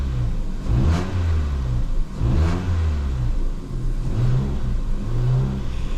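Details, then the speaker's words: Ford Fiesta 1.25 Zetec after a misfire repair; petrol engine blipped through several revs, pulling up and settling back cleanly with an even note, no misfire. "I think by the sounds of it we sorted it look at that look look look we'll do we turn the car off wait a minute then we'll start it again ready rev no missfire we done it"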